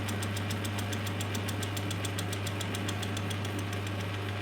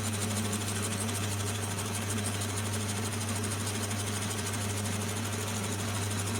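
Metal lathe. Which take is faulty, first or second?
second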